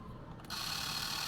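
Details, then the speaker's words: Fujica Z800 Single-8 vintage movie camera switched to 24 fps (slow-motion setting): brief high, fast, light and even film-drive whir; camera running normally. "Turn it to 24. A little faster, slow motion."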